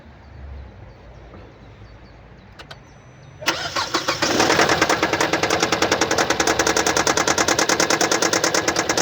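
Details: 2015 Kia Sportage SL, 1998 cc G4KD petrol engine, 122 kW/166 PS, 118,709 km: engine catches and settles to idle with a fast, even ticking about three per second, caused by a defective injector.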